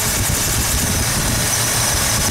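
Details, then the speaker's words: 1972 Ford 302 small-block V8 in Mustang, valves adjusted while running: rocker run down a half turn too far holds the valve open, giving uneven stumbling beat with dropped firing pulse; misfire from over-tightened rocker. "I'll go a half a turn. Hear how it's skipping? It's basically holding that valve open."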